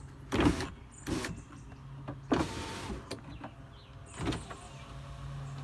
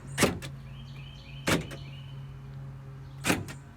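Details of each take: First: Weak, sluggish power window motor giving short strained whirring bursts but still moving, on a King Ranch truck converted to 7.3L diesel, tested on loose wires with no dashboard during gasoline-to-diesel harness conversion. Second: Ford King Ranch truck being converted to 7.3L diesel, tested on loosely connected wiring with no dash: steady low motor hum with a clunk at each start and stop as the power windows work, one window very weak.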